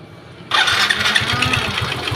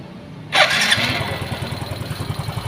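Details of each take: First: Yamaha Xeon GT 125cc scooter engine, rebuilt twice in one year with low-quality (KW) spare parts, runs harsh and clattery with an uneven beat; rough running. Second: Yamaha Xeon GT 125 scooter with an engine rebuilt twice in one year using non-original rocker arms and camshaft, reassembled and started. It catches straight away and settles into an even, quick, steady putter at idle with no odd knocks, sounding healthy.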